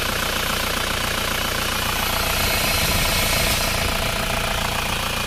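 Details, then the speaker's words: Isuzu Panther diesel engine just started, still cold, idling with a steady airy hiss over the knock from crankcase pressure; the PCV valve in the valve cover is blocked, pressure blows out the dipstick tube and the hiss stops when the dipstick is pulled. "Ini diakibatkan kartu PCV buntu teman-teman, yang di sini buntu. Jadi kalau ini kita cabut, kalau kita pasang ini mendesis."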